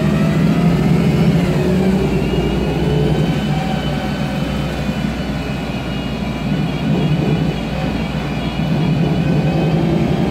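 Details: MAN Lion's Classic CNG bus with a MAN E2876 LUH03 EEV turbo engine and a Voith DIWA 864.3 four-speed automatic, pulling away: a low engine drone with noisy gearbox whine rising through the gears and a faint differential whine.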